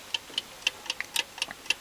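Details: Old British Venner wind-up time switch, 15 A 250 V, possibly early 1970s, cleaned and reassembled, set to switch on for an hour: crisp light ticks about four per second, steady even beat; clockwork running normally.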